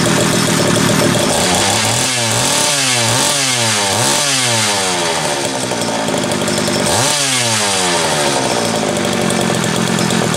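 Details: Homelite 330 chainsaw test run after intake boot replacement, the only fault found: revs up and drops back cleanly several times, crisp steady buzz with no misfire or bogging; normal running.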